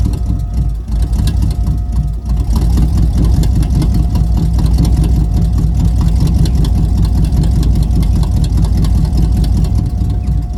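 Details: Camaro after 305 V8 swap with headers, first start after new distributor install: deep, lumpy burble holding a steady idle for ten seconds, no knocks or ticks; sounds healthy.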